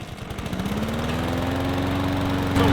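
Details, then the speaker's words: Honda HRR216 lawn mower after carb cleaning and a high-altitude jet swap; it has an auto choke the owner dislikes: the engine catches and climbs for a couple of seconds, then holds a lowish drone short of full RPM, no better than before. "Still not at full RPM. That's a pisser. No different than it was"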